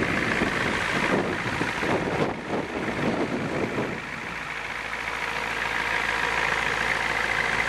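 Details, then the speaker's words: 1990 Ford E-350 Goshen bus with a 7.3L diesel: after some early clatter, it settles into a steady, even idle with a smooth low rumble and no knocks, sounding healthy. "Well, good to hear she's running."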